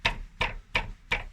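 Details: Kia Sportage 3 driveshaft center support (hanger) bearing, found while chasing a creak; tested with the car jacked up, wheels spinning in gear, and by striking the hanger. Five sharp hollow knocks about three per second as it is struck; the bearing is loose and worn.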